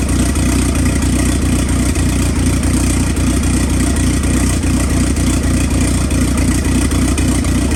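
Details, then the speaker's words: Freshly built engine on an ACR project car, restarted to warm up and idle on 2-month-old E85 with good oil pressure. Strong even idle with a steady low rumble, no knocks, ticks or stumbles; normal warm-up idle. "So we're gonna start it up again, let it get warm, let it idle. Got good oil pressure."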